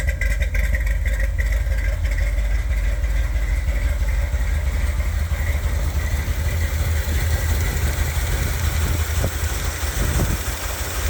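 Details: 1978 Corvette V8 with windowed valve covers fitted for diagnosis: lumpy uneven idle with a light irregular tick over the exhaust thump; camshaft damage, worn lobes, a hydraulic lifter visibly worn.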